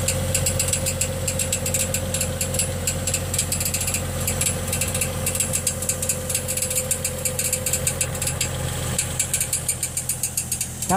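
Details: 2006 Trailblazer on ramps, idling, recorded from underneath with inspection panels off: rapid irregular light metallic pings over steady idle hum, marble-in-a-tin-can noise on take-off that triggers knock sensor code; marks on flywheel, starter pinion touching flywheel ring gear.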